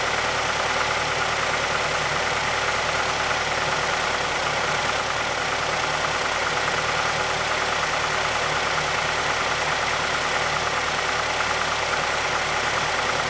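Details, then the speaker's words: 2006 Mazdaspeed6 at idle just after a cold start, under Special Service Program 87. A light, fast tick from the timing chain area is mixed into the engine clatter. A VVT or timing chain fault is suspected but not confirmed. "Be difficult to hear over the engine noise, but there's a pronounced click coming from the timing chain area."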